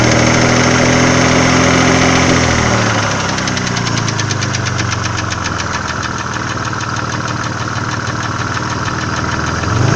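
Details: Nissan VG30E V6 at idle: quick, fairly steady ticking about four per second over the engine, from noisy hydraulic lifters and worn cam lobes.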